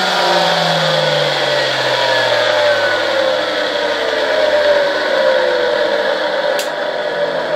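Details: Vacuum cleaner brush motor on a 1992 Ukrainian RS-6-220 triac voltage/power regulator, starting slowly once the knob passes its arrow mark: smooth clean whine climbing in pitch as it spins up; healthy motor.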